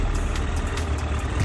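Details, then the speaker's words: 2008 Suzuki GSF1200S Bandit carbureted four, not fully warm, idle a little above 1,000 rpm (under 1,500): even rumbling pulses, no misses or ticking; normal idle while warming. "он прогретый уже практически Ну немножко прогрелся он вот работает ровно на холостых"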